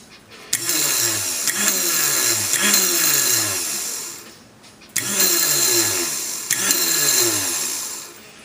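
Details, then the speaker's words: Tecumseh Snow-King electric starter tested after cleaning: high whirring spin-ups about four seconds long, each with a sharp click as the drive engages and disengages; working properly. "That's how it should disengage and engage on her for that. So that's basically a review of how they should work."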